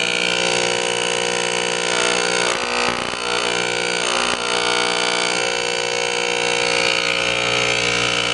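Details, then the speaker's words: Electro Arc metal disintegrator (spark erosion machine) IQ head, spring tension adjusted by Allen wrench: steady, even buzz with a bright metallic edge, holding its pitch smoothly without stuttering; optimal head vibration reached. "so now that we now that we have achieved the optimal head vibration"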